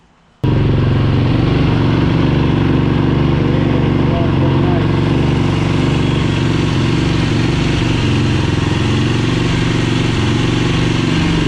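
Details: 2007 Yamaha YFZ450 SE during engine rebuild, running on a temporary fuel bottle that was leaking; loud steady single-cylinder thump holding an even beat with no knocks or rattles; normal running.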